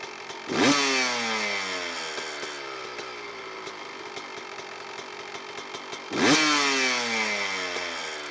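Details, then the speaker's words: Two-stroke dirt bike (CR125) on a Lectron carburetor, air screw turned out about three and a half turns: throttle blips, then revs hang and fall slowly back to idle, throttle response "zingy"; lean air-screw setting. "et donc là, je suis à propos de trois et un la moitié se termine et comme vous l'avez entendu il faut un moment pour l'idole de redescendre à normal et la réponse de l'accélérateur est comme super zingy"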